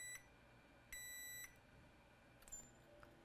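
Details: PS5 motherboard that beeps and then shuts off, which another shop could not fix: two short high multimeter continuity beeps about a second apart, suggesting the line is shorted to ground. Cause suspected, not confirmed; diode-mode readings fluctuate.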